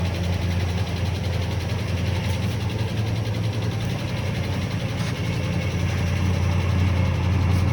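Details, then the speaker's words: 1980 Rover SD1 with Buick-derived V8, first run after 18 years sitting, recorded at the tailpipe: deep, steady, even low burble at idle; healthy exhaust note. "take the video back to the tailpipe. Let's see how the tailpipe sounds."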